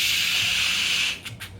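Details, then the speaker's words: Vacuum cleaner with its suction path blocked or closed off: a sudden puff, then a loud airy whistling hiss as the suction safety relief valve pops open while the machine strains; clog-prevention context mentions construction and sheetrock dust being bad for machines. "That means that this is a safety valve put in there that if you have no more suction, if it's closed off, this is gonna just pop. And it's gonna hear that whistling sound you're hearing is straining to clean, all right?"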